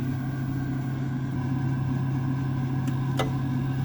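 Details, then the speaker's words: Ideal gas boiler powered back on after lockout, with demand: steady even fan hum then two sharp snapping igniter clicks and ignition; normal fan run and start-up, intermittent lockout fault unconfirmed. "So, the fans come on. This should spark spark in a second. You should be able to hear it spark."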